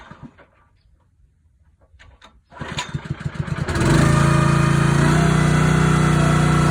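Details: Honda GX160 on a SplitFire wood splitter, after carb clean and oil change for bogging when splitting; engine cranks and catches, then holds a steady, even drone with no bogging or hunting, running smoothly.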